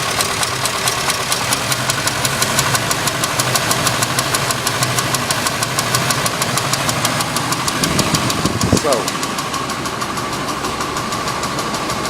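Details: Cadillac Coupe Deville Cabriolet, 7.0 L 425 CI engine, hard starting needing repeated pedal pumps: sharp light tick about three per second over a rough idle, even throughout, top-end tick; owner suspects ignition, replacing plugs, wires, coil, cause unconfirmed.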